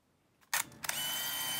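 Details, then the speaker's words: 1983 Mamiya M Time Memory autofocus 35mm film camera, just after loading film and closing the back: a sharp click, then a smooth, even high whir under a second as the motor winds the film on. Normal auto-advance. "음 이게 지금 빨간 배 왔다갔다 한다는 것은 필름이 이동하고 있다는 걸 보여주는 거예요"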